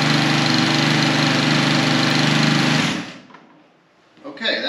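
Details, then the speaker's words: Husqvarna HU800AWD mower, sat about 3 years, on 3-year-old ethanol-free gas after plug, air filter and oil service: steady, even single-cylinder putter for about three seconds, sounding quiet with no blade spinning, then shuts off cleanly; healthy. "seems to run just fine it sounds a little weird because it's not spinning a blade"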